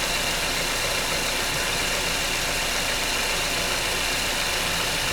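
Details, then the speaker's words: 2009–2010 Mazda 6 running just after serpentine belt replacement with the tensioner released; steady, even engine with a smooth hiss and no squeal, chirp or flapping, the new serpentine belt running normally. "I'm going to release the tensioner, and then I'm going to turn it on and make sure that the belt is working properly."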